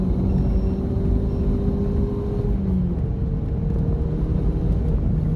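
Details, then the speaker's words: MK7 GTI, being fixed for bucking/hesitation before a meth tune, logged full-throttle pull in third gear only from 2,500 rpm; deep drone climbs smoothly over road rumble, no stumble, popping or misfires. "So I'm going to send those logs to my tuner. There were no misfires that I felt."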